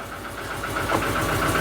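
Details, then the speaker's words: Proton 1.3 GL, off the road for years in a garage, just started cold on the second turn of the key: lumpy, uneven idle with a loping, stumbling pulse, like a tractor or running on two cylinders; rough idle misfire. "it's going back to Lincolnshire, so it needs to sound like a tractor to be fair."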